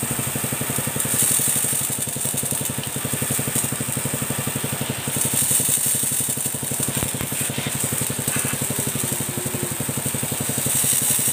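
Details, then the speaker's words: Motorcycle-wash pressure washer after replacing parts to fix weak water spray, at idle without the throttle opened. A steady single-cylinder putter at about four beats a second under hissing spray; the pump sprays strongly. "Oke Guys ini sudah selesai saya hidupkan mesinnya Ya seperti ini guys ya Coba di sini oke nah semburannya seperti ini guys ya"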